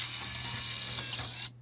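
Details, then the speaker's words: Nintendo Wii after repairing the disc loading gear: quick, even gear whir about one and a half seconds as the disc loads, then stops cleanly; mechanism working properly, no clattering from a loose gear. "see that gear spinning as it took it in there and we'll eject it you'll see that gear spin again and there you go"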